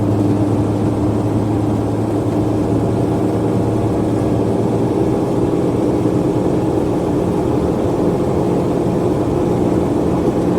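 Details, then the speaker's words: Mercedes Sprinter van, 3.0L diesel, after repair of DTC 2626, DPF and back pressure codes (previously limited under 50 mph); going uphill, building enough boost, up to 2500 hPa; even steady drone, no surging or flat spots; normal under load. "I like to come up here because if you have a a sprinter that's losing power going up these little Hills can be very challenging because right now as we're going up the hill we are building enough boost"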